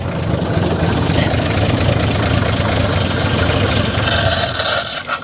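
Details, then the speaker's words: 1955 GMC 350 grain truck, hand-fed gasoline while cranking via screwdriver on the starter: engine catches, runs ragged and uneven a few seconds, then chokes off and dies, flooded with too much fuel. "damn it i drowned it is what i did"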